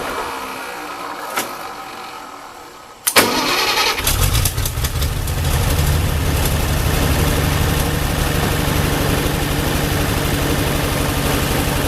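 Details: Ford 8N tractor after rewiring, new battery and one-wire alternator fix: cranks briefly, catches at about three seconds, settles into steady even low idle with no misses or knocks; normal start and idle.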